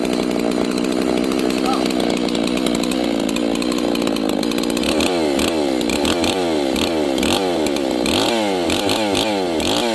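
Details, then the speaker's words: G660 chainsaw retuned after a timing advance: blipped repeatedly, revs climb lazily with a throaty, gurgly burble instead of a crisp snap; mixture too rich, to be leaned by turning the screw in. "And it also had a very throaty, gurgly sound to it. It means it's rich. It's too much fuel. You need to lean it out."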